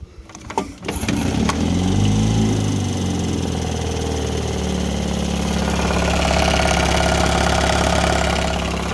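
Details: 1960 Evinrude Fisherman 5.5 hp two-stroke outboard, revived from a broken mess, first pond run in icy winter water after tank testing: a few sputters, then it catches and settles into a steady, even idle with water pump working; normal start and idle.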